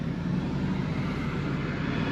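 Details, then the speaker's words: 2004 Chevy Express 4.8 V8 idling after repair: smooth quiet even rumble, no valvetrain ticking or tapping, engine healthy with power and no shaking. "aquí está el resultado de un diagnóstico acertado verdad no se escucha nada el motor como pueden oír ustedes"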